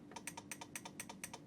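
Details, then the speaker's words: Siglent SPD3303X lab power supply at 8 V in constant current mode into a 1 ohm load, at a transformer tap threshold; rapid repeating clicks over faint hum, tap relay chattering as output oscillates between CV/CC. "it's pretty horrific it's pretty horrific I don't see any magic smoke escaping and it's switching the input range current as well the transformer tap as well"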